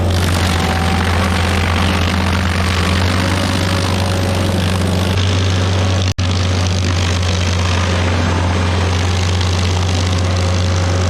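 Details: Stump grinder with freshly rebuilt engine (new rings, cleaned piston), first job grinding a willow stump: deep steady low drone at even pitch, no misses, surging or knocking; oil on heat shield later burnt off; normal running under load.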